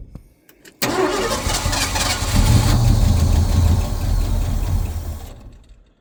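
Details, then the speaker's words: 1971 Ford F-100 V8 after years sitting, with the reversed coil wiring corrected and carb bowls full: short crank, then it fires right over and settles into a deep, fairly steady idle before shutoff. Healthy start, though the fuel system still needs sorting. "We're gonna crank it over and see if we can keep it running for a minute for science. Fired right over. Sounds pretty good."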